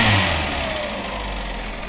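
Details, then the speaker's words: 1998 Ford Escort ZX2 Sport parts-car engine with about 120,000 miles, running briefly without coolant on a bypass fuel supply. Revs fall back smoothly to an even idle with only slight valve tapping, common on ZX2s, and no knock or misfire; it sounds healthy. "it sounds good I mean it's got a slight tapping in the valves but I haven't seen very many Z x2s that don't it's running I mean it's idling smoothly"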